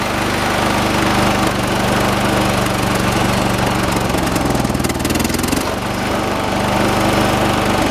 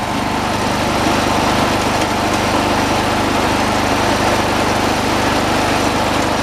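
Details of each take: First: 1986 John Deere 216 lawn tractor, 16 hp single-cylinder Kohler engine, carburetor adjusted outside: loud steady chug, shaky uneven beat, brief pitch dip; heavy shake considered normal for these engines; rough running. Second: 1986 John Deere 216 lawn tractor, single-cylinder, throttled up to where it should be: fast, even buzz, no surging or hunting; throttle linkage left alone; normal high idle.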